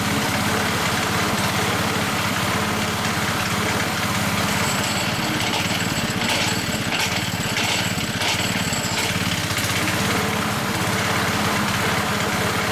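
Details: Hayter 479 A lawnmower with high mileage: the engine runs steady with a constant loose clattering from a worn blade brake disc, and the noise disappears when the blade brake is engaged; the 479 B has weld added to the disc to prevent this.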